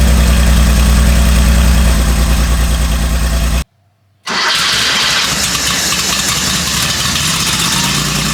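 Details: Garage-find Porsche 911 that had been sitting, on its first start after new spark plug leads, having been cranked without the DME relay to build oil pressure first. It catches and settles into a firm, even low idle beat of about three pulses a second, running cleanly.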